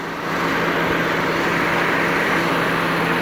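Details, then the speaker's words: 2003 Mazda Protege after a DIY A/C recharge (gauge reading off), engine idling: even compressor hum and constant low tone, no clatter or squeal, refrigerant moving through the lines but not blowing super cold, may need another canister; normal A/C compressor operation. "So everything sounds good on this end as far as I'm concerned. The compressor's working, running things through the line, but it's not super cold."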